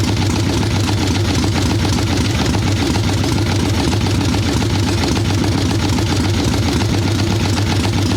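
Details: Harley ironhead Sportster XLCH chopper V-twin, Mikuni VM38 carb, cold wet day, warming on choke with fresh plugs: deep, loping, heavy, soggy idle, boggy and unhappy; carb set way too rich, owner suspects it's not just the carb.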